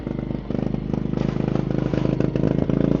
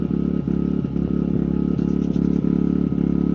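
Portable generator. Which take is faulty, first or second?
first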